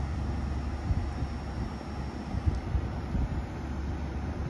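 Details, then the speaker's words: Brand-new Midea U 6,000 BTU window air conditioner at first startup, set to 69 with the room at 73: quiet, even fan rush over a soft hum with no rattles or grinding, now blowing cold on low speed and running normally. "It is now blowing nice and cold. Here's low speed."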